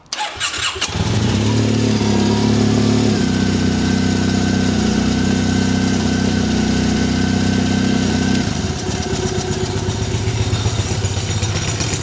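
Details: Triumph Bonneville twin, just restarted after owner's own repair and fresh oil: catches and runs lumpy, ragged and stumbling, one cylinder misfiring; owner suspects the right-side spark plug wasn't tightened, not confirmed.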